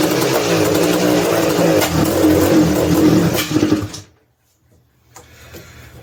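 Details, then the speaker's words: 1986 Honda TRX250R two-stroke started ice cold on choke: loud, uneven running, stumbling and not revving cleanly before dying; bogging, cause not pinned down. "give it two guys can hear how it's like real doggy"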